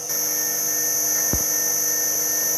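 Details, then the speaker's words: Three-phase motor rewired from single 380V to dual 220/380V, at full 50 Hz running speed: constant high-pitched whine with a harsh rough edge; owner thinks the front bearing has a problem. "And that front bearing has got a problem, I think."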